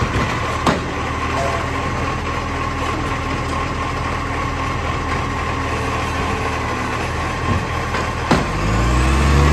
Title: Monash Green Waste #2648 (Exhaust Leak)